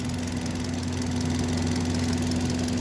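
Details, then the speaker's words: Hyundai Grand i10 (2025 model) idling right after complete engine overhaul, alternator now okay: steady smooth low hum with no knocking or ticking; quiet and healthy. "Yun, oh. Tahimik niya. Ganda. O, yan, ang bagong overhaul."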